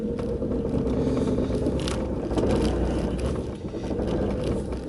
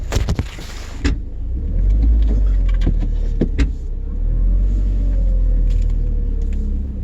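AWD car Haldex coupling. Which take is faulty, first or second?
first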